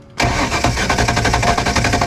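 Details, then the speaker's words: 1993 Sport Nautique boat engine, key turned with fuel injector off to check for fuel: steady quick starter cranking for two seconds, never fires; cranks but won't start, no fuel at injectors, suspected clogged hard line or failed high-pressure pump. "Nothing. So it's not the injectors. Unfortunately, our theory was wrong."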